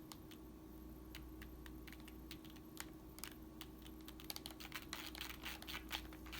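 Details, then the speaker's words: 1998 Tamiya Avante RC buggy centre differential, rebuilt several times with fresh grease, turned slowly by hand: irregular gritty ticking and scratching, rough and grainy though freer than before; something inside rubbing, owner hopes grease working in may smooth it. "very grainy so I'm not too sure what else I can deal with that to be honest"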